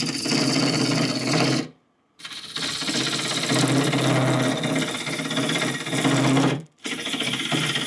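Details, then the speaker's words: Wood lathe roughing deep maple bowls: rough, uneven chatter and rattling under the cutting noise; tailstock not tightened down, loose and letting vibration through the lathe. "you can really hear my tail stck rattling back there I don't have a tighten down and when it's loose like that I have any vibration in my lathe man it really rock and rolls back there"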